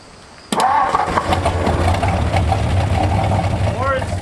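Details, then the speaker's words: 1964 Ford F250 dump truck, Y-block V8, sat over a decade, first start attempts: cranks, catches and stumbles into a ragged idle; timing or firing order suspected, then sticky old valves freeing up in guides. "it's like our timing's way off or the firing order is wrong or"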